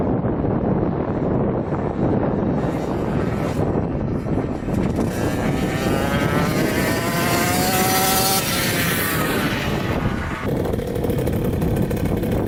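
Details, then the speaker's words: 2000 Cobra 50cc racing mini two-stroke dirt bike passing on a road flyby after top-end repairs and new throttle cable: high buzzy note rises and falls under wind noise, revving cleanly and pulling strong; normal running. "alright that was sweet that was awesome it hauls pretty good this thing is crazy oh my gosh I mean I'm Way too big for it but that thing takes off"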